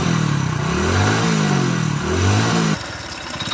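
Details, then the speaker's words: Healthy motorcycle engine, the first bike shown as a reference: even, steady firing that swells smoothly with light throttle and settles back without knocks or rattles. "First డబ్బాలో ఉన్నది engine perfect ఉన్న బండి sound అనమాట."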